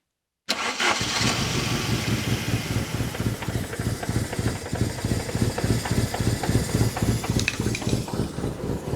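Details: Saab 900 Turbo Commander, Bosch K-Jetronic, sat 10+ years, after reassembling the intake elbow: starter cranks steadily at about three and a half beats a second for several seconds, engine never catches.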